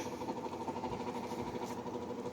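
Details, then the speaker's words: Fedders 5,000 BTU window AC, likely early 2000s, stored in a barn, with a fan motor that badly needed oil. On low speed a quiet hum with a rough, uneven undertone: abnormal fan motor noise, possibly worn bearings. "And that doesn't sound too good. So the motor definitely needs some help, but I might be able to fix it."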